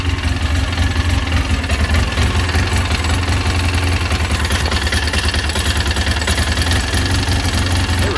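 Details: Polaris Ranger Crew 800 idling: uneven stumbling beat from a random misfire with intermittent check engine code, caused by a failed bonded connection on the PTO-side fuel injector assembly.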